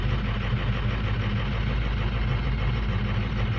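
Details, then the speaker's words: 2006 Lariat diesel truck with 146,000 miles, cold start at low idle; rough, lopsided throb instead of an even clatter, as injectors #2 and #4 are weak and it over-fuels the others trying to compensate; #8 possibly weak too. "because it's over fueling the hell out of everything trying to pick up number two and four"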